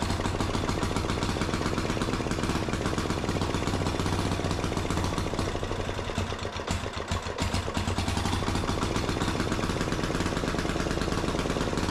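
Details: Gravely C10A repowered with a 418cc Yanmar-clone single-cylinder diesel with a big muffler, just after its first start: loud, steady thumping at an even idle with no misses or knocks; healthy, just noisy.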